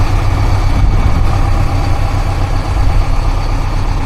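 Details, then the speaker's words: Scania P420 truck carrying a Liebherr 45-tonne mobile crane, diesel cold start after sitting unused over the weekend, left to warm up on a noisy building site. Deep, steady idle with an even low rumble and no knocks or misses; healthy. "Čekamo taj zvuk, pokrećemo motor. Pustit ćemo malo da odradi iz razloga što nije paljena preko vikenda."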